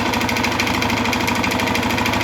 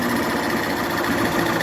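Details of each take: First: 2011 Honda Fan 125 motorcycle, started by jumping the panel without the key, running with a steady fast tapping knock under the exhaust beat; loud engine noise from worn cylinder and piston caused by running low on oil, found on disassembly. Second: Honda Fan 125 2011 motorcycle after rebuild of head, cylinder and piston worn from running without oil: fast, even patter with no knocks, the engine noise is gone and it idles quietly.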